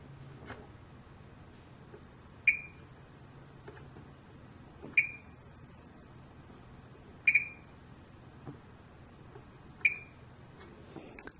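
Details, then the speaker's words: Fluke 189 multimeter in diode test: four short, high, quiet chirps about every 2.5 seconds (LEDs gave no chirp); normal diode-test beep. "so it's very short and a little quiet but it's there here's a small signal diode and it chirped here's the rectifier diode and it chirped"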